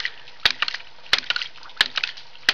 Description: This is a video testing my new homemade ram pump, 4' of fall 15' of head, 1" drive, 1" pump, 1/2" output.